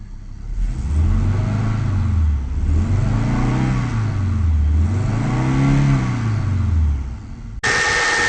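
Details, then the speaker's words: 1994 Audi 80 2.3 after head gasket repair, timing corrected from 180 degrees out, warmed up with cooling system bled: revs up and settles smoothly three times, even note, no misfires or knocks; healthy. "bled the system runs really nicely you he from I when I reved it sounds sweet"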